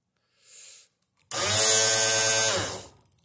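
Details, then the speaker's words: Garage door opener motor spins up to a strong, steady hum for about 1.5 seconds, but the chain and track never engage. Owner suspects an unlocked latch, crossed wires or misalignment between the track and the motor gear. "it sounds strong but it's not engaging so let's see where the problem is"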